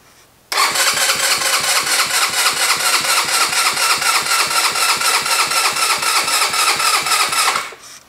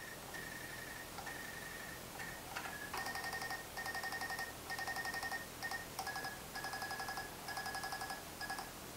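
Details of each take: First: GY6 engine with vacuum-operated fuel pump, fairly charged battery: about seven seconds of even rapid starter cranking that never catches, fuel only partly drawn up and battery getting low. Extended cranking, no start; vacuum pump not priming. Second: now all I got to do is turn the key on and the fuel pump will pump by itself you can see how fast this sucker pumps ready bam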